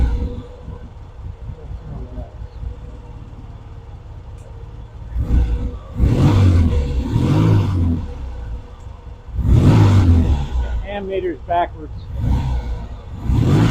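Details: Vintage British motorcycle, rebuilt from boxes, at first start after the pilot circuit was put right so it starts easily: crisp throttle blips rise and fall back cleanly to a steady idle, no misfire or hesitation; normal revving.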